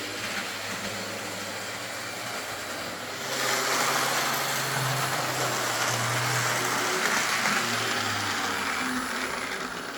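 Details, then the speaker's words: Lima Class 55 Deltic model locomotive, owner concerned it runs slow and noisy, drawing just under 200 mA: a steady buzzing motor whir that gets louder and rougher as it speeds up. Speed is fine, somewhat noisy but not severe. "Well, it runs not bad at all, really. These don't run particularly fast compared to some locomotives, so that's nothing to be concerned about. I would say the speed of this is absolutely fine. Noise-wise, I've heard a lot worse, but yeah, I think we can maybe quieten it down a wee bit."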